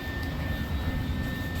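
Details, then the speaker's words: Car at idle: steady high whistle over low even engine rumble; exhaust leak through gaskets at front pipe converters where the flanges rotted out, cat brackets rusted off. "so I go out there start it up and it sounds like George Jetson's you know that but exhaust leak um and what happened is the flanges rotted out and it actually whistles through the gaskets in that uh uh front pipe converters"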